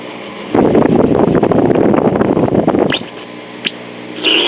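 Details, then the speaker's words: 1962 Philharmonic tube console stereo AM radio after replacing the cathode bypass capacitor: harsh raspy squeal bursts over low hum with low volume; oscillation caused by a defective section of the 3-section filter capacitor. "okay after replacing the cathode bypass cap our performance is still crappy here's these output teams one of maybe maybe that's just a dirty socket okay we still have low volume in colleges squealing"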